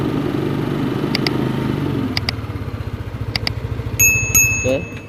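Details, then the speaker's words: Yamaha Lexi 125 idling after a rebuild for oil starvation and a worn piston: an even, low putter with a few handling clicks and beeps, and no knock or clatter. The engine sounds healthy, with slight smoke remaining from the oil-wet exhaust. "kya gini teman-teman untuk putaran saya saudaranya suara seperti ini ya sangat berbeda jauh dengan yang kemarin"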